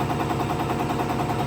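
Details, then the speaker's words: 5915 injector on a test stand at max torque, 285–290 cubic mils, like a hard pull: slower-sounding, about five even snaps a second; fires cleanly under heavy fueling. "See, it sounds slower, but it's putting a lot more fuel. Right. Now we're up to 285 cubic mils, so"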